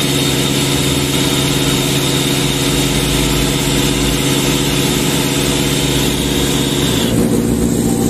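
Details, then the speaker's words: Sullair 260 diesel compressor under load, poorly maintained: heavy drone holding low, never reaching working speed or pressure; speed regulator/governor out of adjustment; engine bogging under load. "tenemos un problema con el control tenemos un problema con la velocidad no estamos alcanzando la presión"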